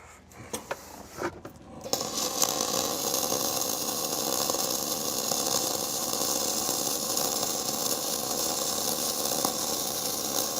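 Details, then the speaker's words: Gas-shielded flux-cored (FCAW-G) lap joint weld. After brief handling, a steady, even crackling hiss holds without pops or breaks: a smooth, stable arc, and the slag peels off on its own with a light tap. "Good. Nice and spicy. Man, I love how smooth that sounds."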